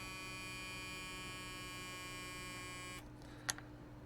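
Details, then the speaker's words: Pocket smoke machine prototype with a vape-type air pump run from a 350 mAh lithium polymer battery: a steady buzzing hum for about three seconds, then a click as it cuts out. The pump runs low-pitched and underpowered but still works. "oh now again listen for the change in tone so not nearly as powerful but it is still working"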